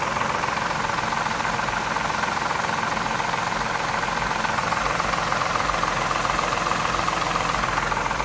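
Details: 2003 Mazda 6 with 3.0 V6 at about 164k miles: steady idle with fast, fairly even light ticking, about three or four a second; noise stops at high revs. The oil pan gasket was replaced and 10W-20 was used instead of 5W-20, and the owner suspects a bad lifter or timing chain.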